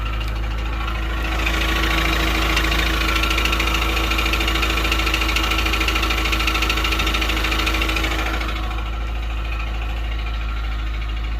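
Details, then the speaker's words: Honda Stream engine at idle with a heavy, regular tick about two to three per second, attributed to galled camshaft lobes, with loss of power. Camshaft lobe galling. "It's like a heavy sort of tick, tick, tick, tick sound. You'll hear that, and that is cam lobe galling. So what happens is we lose power and we get this sound."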